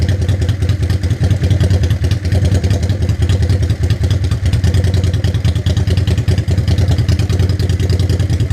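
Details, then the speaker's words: 1985 Honda Shadow 500 twin during a DIY dual carburetor sync: even, steady thumping at about two and a half pulses a second that never hunts or stumbles. The gauges hold in the same spot; normal balanced idle. "where we have even play-doh movement this way or this way it's just idling in the same spot that's what we want"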